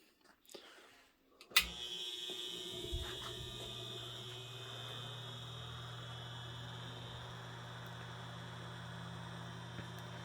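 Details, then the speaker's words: Circa 1936 Westinghouse Poweraire 10-inch table fan, shaded pole motor, cosmetically restored: steady low mains buzz under the airflow hiss after switch-on; electrical buzz, motor winding varnish breakdown suspected. "so as you can hear this fan does have an electrical buzz and unfortunately is seems to be a pretty common problem with these this is a shaded pole motor"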